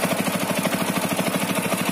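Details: TVS Apache RTR 200 4V BS6, under a year old, engine idling after a long ride: quick, even tapping about twelve a second from the cylinder head; service center found loose head nuts and tightening them solved it.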